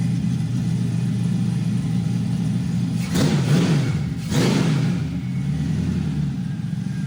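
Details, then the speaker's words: 5.3L LS V8 before cam swap, good oil pressure, quiet valvetrain: steady, even low idle with two quick throttle blips, no top-end ticking or tapping; normal idle. "Motor sounds really good. Let the idle come down."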